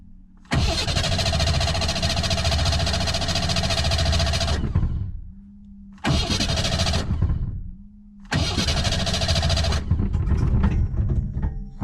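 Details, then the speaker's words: Ford Bronco trail rig, increasingly hard to start, after a new cap, rotor and plugs, with the fuel pump hot-wired and gas poured down the intake: long cranking with occasional catches that never settle; spark present, fires but won't run. "we're definitely getting spark cause it's it's firing"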